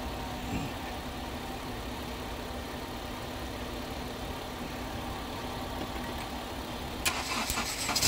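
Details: Car idling after a jump-start of its dead battery: steady, even low hum with no stumble or misfire; idles smoothly once charged.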